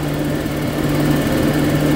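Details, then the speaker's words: Toyota Kijang LGX engine, not warmed up, just refilled with 4 litres of cooking oil instead of engine oil: even, steady idle hum, no knocks, ticks or misses; slightly smoother than before. "kelihatan suaranya ini ya sedikit lebih halus daripada sebelumnya"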